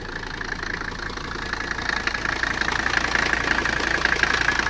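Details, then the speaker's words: Abandoned Mercedes 300CD diesel just fired up on all cylinders: a hard, regular clatter of about three knocks a second at idle. The owner suspects the nearly missing exhaust, or possibly a stuck valve or internal damage. "uh knocking real bad uh not sure why she's knocking i know the exhaust is basically gone that's probably it uh or something's horribly wrong in there"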